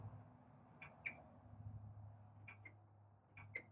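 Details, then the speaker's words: CD3 Systems wayside solar unit vacuum will not start: vacuum light blinks at 2 Hz with sharp paired clicks over a low electrical hum because the full-tank float switch has tripped. "Now, when that's triggered, it doesn't allow the vacuum to turn on anymore. So, as you can see with this CD3 System, currently, the vacuum light is blinking at a 2 Hz per second rate. Can you hear the clicking noise?"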